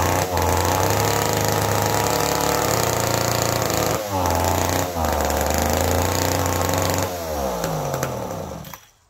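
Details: McCulloch Pro Mac 1010 chainsaw, previously smoking badly, first start after rebuild with fresh fuel and both carb screws one turn out. A raspy two-stroke surges and sags, revs dipping and burbling unevenly before dying out. It runs rich and floods, with fuel leaking near the exhaust; cause unknown.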